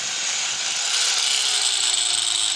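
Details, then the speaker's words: Angle grinder with a worn armature, test-run with the disc fitted. Raspy growling whine sagging in pitch, with reduced power before repair. "nah ini Lur tenaganya dan suaranya sudah ngorok-ngorok"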